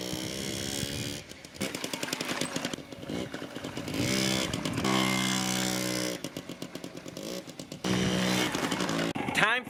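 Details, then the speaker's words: Yamaha QT50 moped (78 or 80) after charge coil replacement: sharp two-stroke crackle that fires readily and blips up and down, catching every time; fired right up, running normally. "Looks like we're ready to go. She fired right up."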